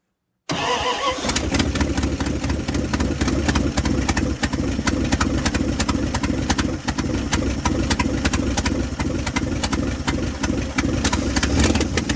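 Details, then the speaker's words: 1978 Dodge D100 step side after fuel pump swap, carburetor bowl hand-filled, possibly stuck floats: engine catches and settles into slow uneven loping idle, too low and near stalling; mixture or idle screw adjustment suspected, not confirmed. "It's idling very very low. Let's see if it's probably the mixture, too."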